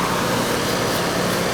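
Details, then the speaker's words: R22 Ruud central AC condenser, homeowner reported no cooling, running on a not-yet-hot day: steady even hum with constant airy fan rush, no rattles or surging; air coming out warm and unit sweating, charge judged fine; normal running. "she's already getting sweaty so it's nice and warm coming out that's what we want it's not really that hot out yet but the charge is gonna be fine"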